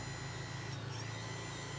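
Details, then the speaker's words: Johnson 88 outboard trim and tilt after remounting the engine on a new transom mount (old tilt motor was rotted out): steady constant-pitch electric hum, even with no grinding or labouring as it goes up and down; normal operation. "the good thing is that this guy will now go up and down look at that"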